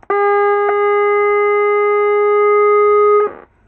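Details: Chinese CRT TV audio stage producing a loud constant hum/buzz for about three seconds with no program sound; suspected capacitor fault and sound supply voltage issue, later fixed.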